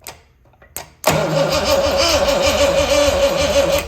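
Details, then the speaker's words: 1974 Triumph TR6 prepped for first start after rebuild, ignition disconnected, no fuel, testing a distrusted starter: brisk, steady cranking at about three turns a second with no grinding or clicking; the starter turns the engine over fine. "Actually turns. Okay, that's good."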